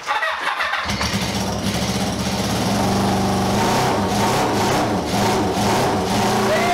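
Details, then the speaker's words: Honda café scrambler project bike first running in 21 years, after carb rebuild and rewiring: freshly started engine runs rough with stumbling beats; misfire, owner suspects flooding or fuel not yet through. Cause not confirmed. "oh my god strange misfire they want something comes up flood or the top I've got fuel through yet or something"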